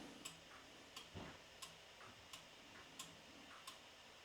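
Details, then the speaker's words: New Haven time-only store regulator wall clock movement after full service, on a stand at 3/4 wind: crisp, evenly spaced ticks about every two thirds of a second; normal clock tick, in beat. "Nice even click. It sounds like it's even level up there right now."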